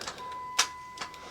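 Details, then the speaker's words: 2002 Chrysler Town and Country (Dodge Caravan) with a no-crank, no-start: one crisp relay click over a faint chime after relay 86 is reinstalled. The click shows the ignition switch signal gets through; the starter was already tested, so the PCM is identified as the fault. "We're gonna listen for a click sound. That click sound means that it is working properly. It is not gonna probably start the car because we're having those issues, but we should hear a click sound right there, and you probably heard that."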